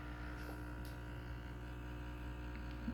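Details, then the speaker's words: Breville Bambino standard espresso machine, button held in to run water into a big mug: an even, steady low buzz at constant pitch with no sputtering or strain, the pump pressurising normally. "so holding it in you can hear it getting to work"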